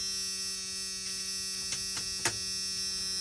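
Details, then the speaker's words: 1991 Ford F250, 351 Windsor EFI V8, automatic, sat a while with fresh gas added: key-on electric fuel pump hum, engine off; pressure not judgeable by ear. "Cycle the fuel pump three or four times. See what we can get."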